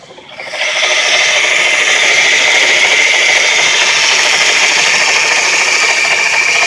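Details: Engine running with a harsh, fast rattling rasp and a steady high-pitched whirr. The noise progressively worsened; this is its worst. The cause was worn bearings in a 2-year-old 130 amp alternator with 20k miles. Crank pulley and tensioner were suspected first, then ruled out.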